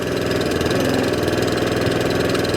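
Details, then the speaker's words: Allett Kensington cylinder mower with Kawasaki FJ100 engine, after carb, fuel tap and fuel system clean: quick, even single-cylinder putter holding steady at low revs, hunting and surging gone, running smoothly. "no hunting or surging running has absolutely sweetened up as the very first day is manufactured"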